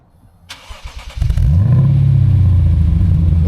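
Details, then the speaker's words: Lexus RC F V8 with new valved axle-back exhaust, started with exhaust valves closed on temporary wiring: brief starter whir, then deep steady muffled rumble; clean healthy cold start. "But for right now, just so we can hear it, this is a start with the valves closed."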